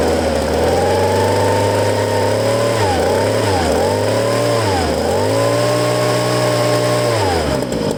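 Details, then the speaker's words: Used Ryobi two-stroke handheld blower from a garage sale, primed, no choke, tank emptied, running on fuel left in lines; crisp buzz rising and dropping cleanly with throttle blips, no stumbling; good compression, healthy. "but I guess the fuel in fuel lines were still good and I was using that to keep running so that's pretty cool right there"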